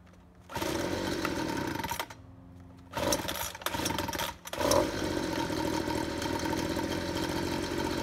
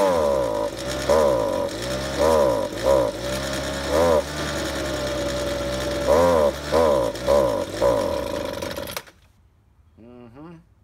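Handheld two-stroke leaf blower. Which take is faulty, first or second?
second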